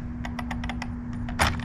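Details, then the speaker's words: Arrma Infraction with TP 5870 motor, car propped wheels off ground, motor spun: light evenly spaced ticks over faint hum, sounding the same all the way round; normal gear mesh, driveline not bent. "if you could hear this all around as you're spinning the the motor and it sounds the same all around that means you're really good no matter how you put the car down"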